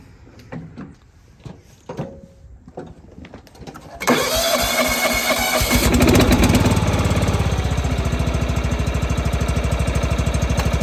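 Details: John Deere 165 Hydro lawn tractor after a new ignition coil fixed sporadic spark: a few clicks and clunks, then the engine catches and settles into a steady, even run with no misses or knocks; running normally.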